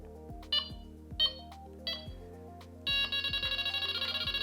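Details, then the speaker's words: Txi-D bite alarm with beep speed at level three and response still at maximum: a bright electronic tone running into a quick, even string of beeps around three per second, working as it should. "level three so you can see you can adjust the speed to get the feel that you want from the byte alarm but I have not changed the response that is still in maximum response"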